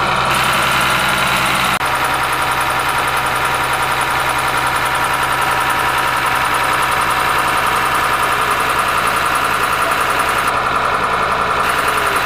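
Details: Ashok Leyland bus diesel engine idling after cold start following many years unused: steady idle with an even beat of about three to four pulses a second, no knocks or misses; normal.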